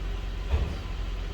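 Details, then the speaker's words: 2007 Buick Lucerne idling with electronic EGR valve commanded closed during EGR lab: smooth even low idle hum with no stumble or hunting, running normally; opening the EGR then makes it stumble like a misfire. "so right now it's running normally"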